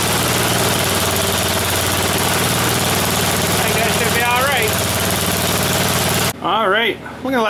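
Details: Snowblower single-cylinder engine on a final run after its tire repair, before returning it to the owner. Steady, even putter at constant speed with no misses or knocks; idles healthy.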